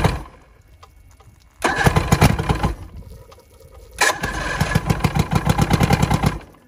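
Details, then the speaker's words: Vintage Evinrude SPL 88 outboard on a Florida skiff, cold start after winter storage (about 23 degrees overnight), water flowing, primed, key start: cranks, catches quickly, settles into an even two-stroke idle; normal cold start. "it was 23 degre I believe last night so this thing fired up no problem"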